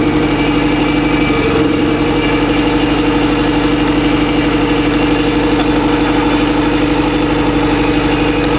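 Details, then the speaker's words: Turbo Honda Civic engine stranded after hard highway pull, oil blown out, suspected worn rings: rough, lumpy tractor-like idle about twice a second with exhaust smoke; cylinder number three dead, misfiring. "so we have determined that cylinder number three is fricked it's not running on cylinder number three"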